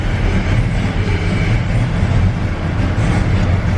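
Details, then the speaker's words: LS-swapped Cutlass on air suspension, with a standalone harness and P01 GM computer, before its dyno tune: a deep, lumpy V8 idle with some belt noise sags very low in gear and wants to stall. "I think the guy complained when you put it in gear and wants to die stuff like that see how it is"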